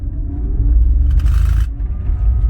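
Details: 2004 BMW 325xi 5-speed manual, heavy acceleration in first gear on a gravel road: deep, lumpy thumping driveline shudder, also in second gear; cause is a failed hanger bearing and centre universal joint.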